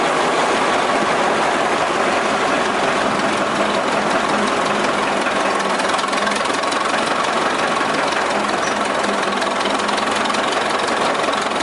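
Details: 1926 Twin City gas engine in a 1926 Northwest 105 dragline running steady with a rapid loose knock about three or four times a second; worn rod bearing knock, needing repair before it ventilated the block.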